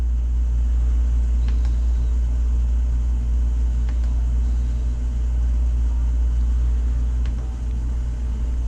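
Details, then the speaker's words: Takagi T-H3-DV-N tankless water heater, first startup, while firing with incoming water near 100°F: loud steady deep low hum and vibration, no knock or rattle. "okay how are we doing for pressure we're looking good on pressure only thing that concerns me a little bit is how loud this is getting she's got a low hum we're already up to almost 100 coming in"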